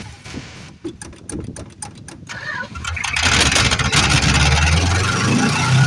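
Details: 1973 Plymouth Fury III with 360 V8 just installed after car sat engine-less 7 years: steady cranking about four turns a second, then catches and runs rough with spitting and popping; owner suspected carb or timing.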